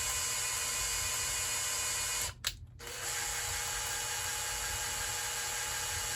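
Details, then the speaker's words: Kohler K321 engine, hand lapping a valve on a hardened Stellite seat with coarse compound after fine compound cut too slowly; steady gritty hiss, brief pause, then even grinding, compound cutting in well, giving a better witness line. "so I'm going to try the course now and see if I get a little better result with that should cuz it's a lot coarser of a grit yeah you can hear it you definitely hear it cutting"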